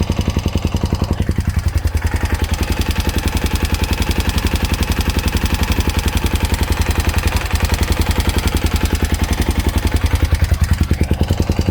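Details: Honda Dominator NX650 RD08 single, hot idle, after new cam chain, tensioner, spring, bolt, cam and rockers: sharp regular tick about three and a half a second from the cam chain area, stops when tilted right; cause unconfirmed, cam chain guides suspected.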